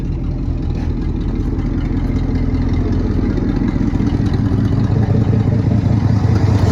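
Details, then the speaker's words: 1972 Ford F-350 V8 auction truck, just revived: deep, even idle with steady low rumble, no clatter or knocking; runs and sounds good, possible exhaust leak on one side. "Sounds good, runs good."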